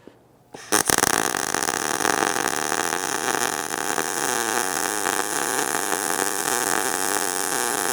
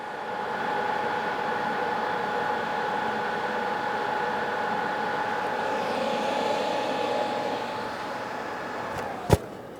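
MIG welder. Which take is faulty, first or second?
second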